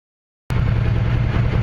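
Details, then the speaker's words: Can-Am Commander at operating temperature, radiator fan switched on by itself normally (fan override switch fitted): steady, low, even idle with constant fan hum behind it; normal running. "we've got it up to operated temperature. The fan kicked on all by itself normally."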